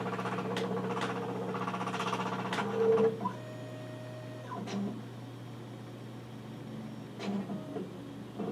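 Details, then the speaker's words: Nikon LS-8000ED film scanner scanning color slides via VueScan with autofocus on: low steady hum with soft motor whirs and clicks; normal slow scan operation. "and you can hear it's autofocusing again because I've chosen the autofocus to be set it"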